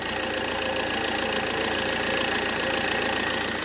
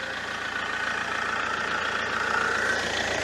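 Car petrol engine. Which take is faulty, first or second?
first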